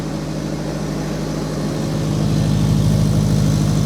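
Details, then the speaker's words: Honda Prelude project car with slightly high idle: a steady low putter with a faint regular tick about three times a second that fades as revs rise. Owner notes a little noise of unknown cause. "And yeah, I don't know if you can hear that. It has a little bit of noise."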